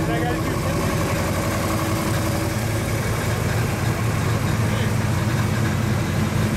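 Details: 1935 Chevy Master, newly installed 409 stroker V8 at first start-up on jack stands: smooth, constant low idle rumble with an even beat, no tapping or grinding; oil pressure and temperature good, so the idle is normal.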